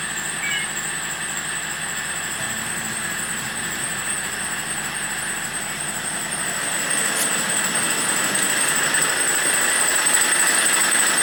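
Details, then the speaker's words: Opel Corsa D 1.3 CDTI diesel running: steady piercing high squeal from the engine front, growing slightly louder; owner first suspects a part mounted on the left under the hood, unconfirmed. "dass der Corser ein ziemlich störendes quietschendes Geräusch von sich gibt und da wollen wir dann mal nachschauen was es sein kann"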